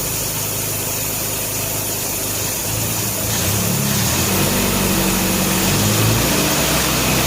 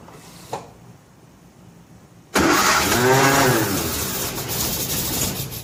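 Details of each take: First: 1957 Nash Metropolitan barn find that sat for many years, running on old gas after crossed plug wires 3 and 4 were fixed, warming up: an even idle, then a smooth rev-up with no miss or stumble. Normal idle and revving. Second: 1957 Nash Metropolitan barn find that sat for many years, start attempt with the manual choke and fuel pumped: quiet, then a sudden rough, uneven burst of firing that sputters and fades. It cranks but won't start.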